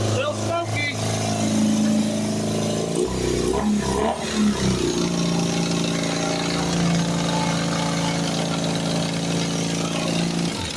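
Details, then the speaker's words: Custom BMW R80 boxer twin revived after a crash, oil topped up. It catches and idles with a light metallic clatter; owner fears rod knock or lost oil pressure, cause unconfirmed, possibly loose parts vibrating. "Something was clattering there. Pretty good. That didn't sound right. Did I lose oil pressure? Okay, to me that sounded like rod knock or something very bad just kind of started happening or we lost oil pressure possibly."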